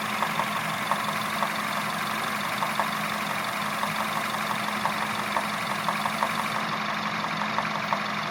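Steady idle with a sharp, light tick about three times a second riding over it; a knock at idle, cause not pinned down.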